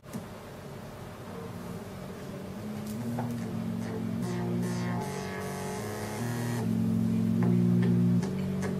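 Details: Commodore 64 after SID chip swap, playing game music: clean steady bass notes and smooth flange sweep with no background hum or crackle; replacement SID working properly.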